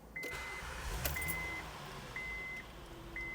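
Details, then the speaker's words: Honda just got running with no dash lights: engine catches and settles into steady, even idle under repeating high dash chimes, no knocks or misses; running excellent, normal start and idle. "Running excellent. See if we can get 500, 600,000 miles on this thing."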